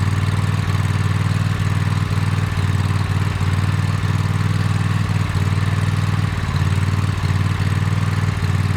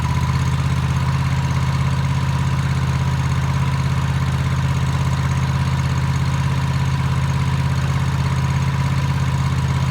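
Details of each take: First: Toro TimeCutter MX 4200 zero-turn V-twin idling: lumpy uneven beat that sags and recovers, hesitates when driving; misfire from failing ignition coils after fuel, plugs, filter, valves ruled out. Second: Toro TimeCutter MX 4200 zero-turn twin, previously running rough, right after replacing both ignition coils: smooth even low idle thrum with no surging or hunting over ten seconds; coil replacement fixed it.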